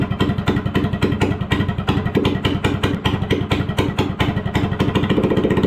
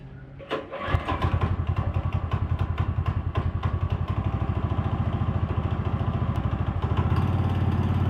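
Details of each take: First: Go-kart engine running without muffler: unmuffled single popping fast and uneven at idle, sputtery and wet-sounding, maybe rich; suspected, not confirmed. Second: Small engine in a TugBuggy utility buggy, with new chain tensioner, just refueled: catches on the first pull and settles into a fast, even putter with steady exhaust pulses, no misses or bogging; normal healthy start.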